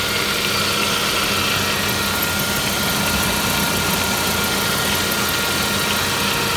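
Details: Saab 9-5 Aero petrol engine idling with a steady gritty whirring and faint whine; the service shop first suspected something by the oil filter in the sump, but it turned out to be the water pump.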